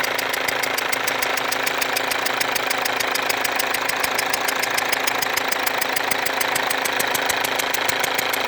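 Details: Mercedes W204 diesel with a leaking injector: sharp, fast ticking about four per second over the idle with a thin whistle on top, and burnt-on diesel residue around the leaking injector.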